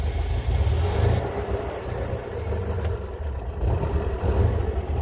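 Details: Pinzgauer 6-wheel-drive military truck, owner suspects water in the fuel; cold start on choke in neutral: lumpy, uneven low beat that nearly dies until throttle is held, before settling to about 1,000 then 750 rpm. Running rough.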